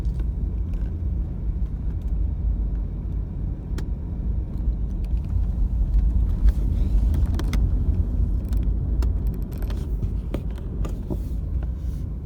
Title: Clicking sound